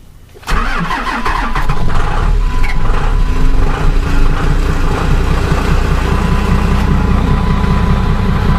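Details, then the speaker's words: Dodge Ram 12-valve Cummins diesel, cold start at about 36°F on the stock batteries only (about 12 V, before the ultracapacitor was added), after the wait-to-start light went out: the starter drags slowly before it catches and settles to a rough idle, alternator then charging 14.27 V. "that worked one point for obviously it was a little slow in starting"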